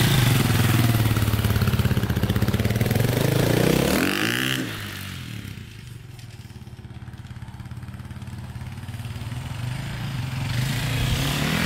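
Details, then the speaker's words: KTM 400/450 EXC single-cylinder dirt bike on road test after reconnecting taped-off wires: on throttle it hesitates, revs a little, then breaks up unevenly before picking up; wiring fix did not cure it, cause unknown. "um it's still doing that you could hear it just like you give a throttle it hesitates goes a little bit and then kind of breaks up so yeah it's not sounding too good not good at all actually"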